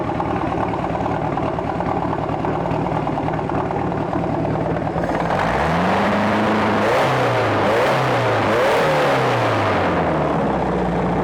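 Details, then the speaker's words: 1995 Volvo Penta 3.0GS inboard boat engine, compression 145 on all cylinders, new cap and rotor, power steering belt cut so no belts turn; starts after about five seconds, revs up and down, then runs evenly without knocks; good running, probably needs carb cleaning. "good running motor probably needs a good carb cleaning"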